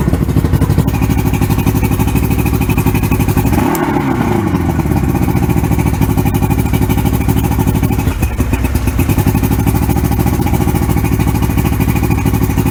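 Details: 1994 Suzuki 115 oil-injected two-stroke outboard, water on, with more Sea Foam added to a full tank: an even, steady burble with regular firing and no misses or stumbles over the water splash; running healthy.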